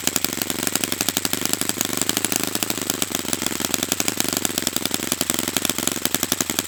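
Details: Brand-new customer Saito FA-100T twin on a test stand during a break-in run; crisp, fast, even popping at steady pitch with no dropouts, running perfectly. Normal running.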